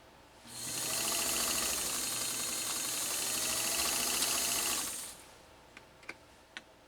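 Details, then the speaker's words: Pfaff 230 sewing machine stitching single layer of about 3 oz full grain leather, stitch width 4, length about 3.5: fast, even whir with a smooth hum, no knocking or binding; well tuned, normal running. "and yet this machine it just runs it just has a a beautiful hum to it as it's going through what is not a light sew-off"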